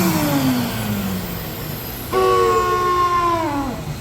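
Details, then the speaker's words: Shop vac (wet/dry type with float shutoff) motor makes an odd noise powering down; after switch-off the whine slides steadily down in pitch with an odd, uneven tone; something seems stuck inside; cause undetermined. "and uh it makes an odd noise when it's powering down and it's lost a lot of something"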